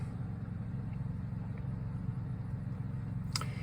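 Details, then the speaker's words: 2023 Coachmen Nova's Cummins Onan generator after the recall fuel-line hose fix for vapor-lock stalling, taking over power from the inverter. A steady, even low drone with a smooth regular beat and no misses or knocks; normal running under load. "to eventually switch over to uh generator power which it's doing right now"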